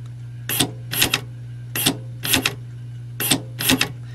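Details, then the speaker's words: Removed Honda electric trunk release latch on the bench with 12 V applied to the correct terminal: short, sharp whirring bursts, often in pairs, over mains hum; the tiny motor and gear train run freely until it hits the stop. "you can hear the little motor go and in fact let me see if there's a a draw on that when it hits a stop yeah you can keep that engaged and burn the motor up"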